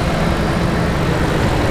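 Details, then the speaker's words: Jeep Grand Cherokee ZJ 5.2L 318 V8 fully warmed idle on 10W-30 part-synthetic high-mileage oil, oil gauge erratic from faulty sending unit: steady even idle with light fast lifter ticking only, no unusual ticks; healthy. "no unusual ticks all you hear the only noise you hear is the lifters actually"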